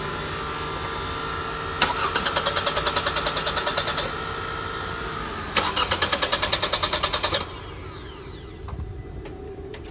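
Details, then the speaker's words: 2018 Hyundai Tucson 2.0 L four-cylinder with crankshaft position sensor unplugged: two bursts of steady cranking about three turns a second, never catching; no-start caused by the unplugged CKP sensor. "as you can see the car will not start if the CK the ckp sensor is unplugged"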